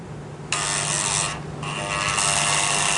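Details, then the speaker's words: 2003 GMC Yukon, customer reported noise in 4x4; thin electric whir in two bursts, indicator flashing, no engagement clunk; transfer case shift motor runs but case stays in neutral; gears in transfer case suspected. "hey it is not turning that transfer case backward like it's supposed to quit flashing"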